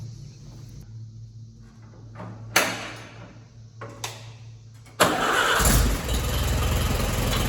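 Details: Allis Chalmers WD tractor after full rebuild, final assembly with manifold stud leaks just fixed: brief crank, then catches and settles into steady, even idle with no misses or knocks; normal idle.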